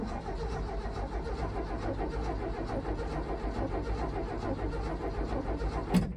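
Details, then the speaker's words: Abandoned 1979 Ford F250, possibly Duraspark ignition: steady rhythmic starter cranking, engine spins over evenly but never catches because it is out of gas; cranking, no start. "unfortunately it's out of gas and the line is nothing even vaguely resembling uh the tanks i have so i guess that's out"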